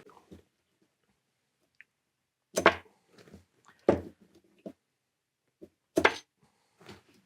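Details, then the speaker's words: Pinball machine solenoid coil, after being rewound: three crisp, solid clacks a second or two apart, no buzz or chatter; healthy, strong coil actuation. "Donc ça, pas un coup de fusil, mais c'est exactement comme ça que ça doit. Et on sent la force."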